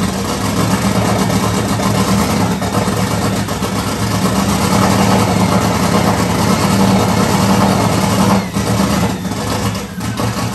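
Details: 1994 Mustang 5.0 V8, turbo, Holley Terminator X, high ram, Anderson N41 cam, open downpipe; first startup: loud, raspy, stumbling, lumpy unsteady idle, ticking buried. Runs rough, needs serious tuning; owner suspected too much fuel, plans to check for leaks.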